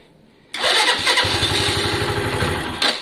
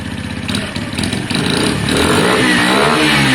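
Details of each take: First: Lexmoto Valiant single, warming up on test; it died, battery very low, restarts into quick slightly uneven putter; owner to check battery voltage and charging, cause unconfirmed: stalling. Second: Lexmoto Valiant, restarted after stalling on low battery; even idle, revs rising and falling cleanly several times, no misfire, knock or rattle: normal idle and revving.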